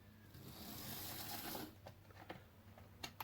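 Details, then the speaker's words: Hornby Intercity 125 model train, bought on eBay as a non-runner, run on a test track with the body off: the small motor whirs evenly with light track clicking at steady speed; the motor runs properly and the headlight works. "that's the headlight bulb's working okay and the motor's running great."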